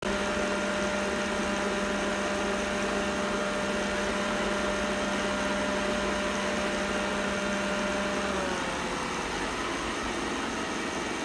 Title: Roborock S6 buzzing noise 01.11.2019 phone on device